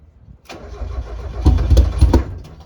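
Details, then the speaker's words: NA Miata cranking but not starting after an ISR 340LPH fuel pump install, with the tank low on fuel and the pump primed. The starter churns with uneven sputtering as the battery dies; one pop is heard. The owner thinks it is getting lots of fuel; the cause is unconfirmed. "it's almost it almost sounds like it's giving a lot of fuel right now yeah battery's dead now no way"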